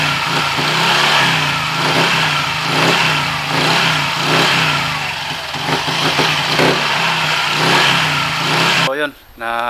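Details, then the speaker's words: Honda Click 125i scooter after CVT cleaning of a very dirty clutch assembly with rusted plate and worn clutch springs: revs and settles with smooth, even drive note, no clutch rattle, much quieter than before; only faint belt whistle remains. "Okay, pero at least ngayon, mas okay na yung medyo tahimik na. Hindi na tulad ng kanina."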